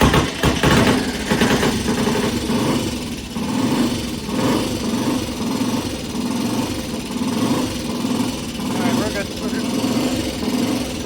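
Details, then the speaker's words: T20M single-cylinder 200cc four-stroke vintage British race bike, warm after a cold kick start and just before a test ride: steady, lively idle with even firing and no knocks or rattles. It runs fine. "Yeah, she runs fine. >> It sounds good. >> Yeah, it does for this little thing."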